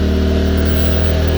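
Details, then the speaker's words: Firman W2000i 2000W inverter generator in eco mode running a stove at max setting: loud, steady, deep engine drone held at high speed as the heavy load pulls power; normal eco-mode speed-up under load. "But here you can see, I turned it on and now the engine's running higher."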